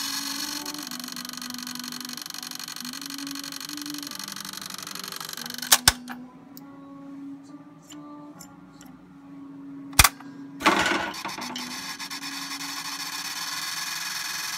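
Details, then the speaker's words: Realistic Model 999 reel-to-reel: the just-oiled idler motor, which has trouble running in the correct direction, gives a thin scratchy rasp over a wavering motor tone that drifts up and down in pitch. Cause unclear. "can hear some serious scratching going on there. So I'm not sure what the hell is up with that. Even though I just oiled the motor."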